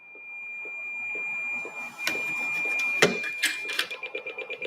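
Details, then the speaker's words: Radio's SWR alarm: steady tone breaking into slow beeps about two per second as coax connection is loosened; slow beeping means very bad SWR, quicker beeps better, steady tone perfect; antenna mismatch. "you can hear it beeping when it beeps really slow that means your SWR is really bad"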